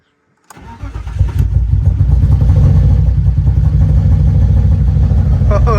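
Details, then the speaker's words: 1998 BMW E36 two-door automatic, inline-6, first start after the EWS bypass and ECU flash. Brief crank, then it catches at once and settles into a steady, even idle with no misses. Normal start. "We heard it run. She finally runs."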